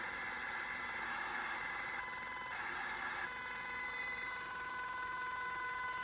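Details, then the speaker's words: Ham/CB radio receiving on 27.395 MHz (27395 kHz): steady high-pitched tones with a faint repeating beep over receiver hiss; heard on all radios on that frequency, later moving to 27405–27435; interference of unknown source. "radio is on and up on two seven three nine five I'm hearing this noise I thought maybe somebody has some ideas you can tell me what it is"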